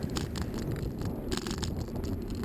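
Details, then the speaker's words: Cheap $25 non-GoPro camera on a bicycle during a city ride: irregular sharp rattling clicks over steady road rumble, bursting on each pavement crack as the loose camera mount shakes. "You can probably hear my camera picking up every little crack in the pavement. It's not a GoPro."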